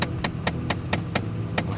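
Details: 2015 Ford Fiesta SE, 39,821 miles, cold start at 8°F: sharp, even clicks about four a second over a low idle rumble from the failing blend door actuator under the dash; part bought but not yet replaced.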